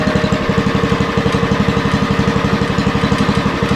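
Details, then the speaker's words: 40-year-old Lincoln Weldanpower 150 genset welder (about 1977–78), running at 150 welding output: steady, even firing beat near three per second, no misses or knocks. Healthy under load. "Yeah, so Old B Store runs pretty good, and it's it's handy to have these machines."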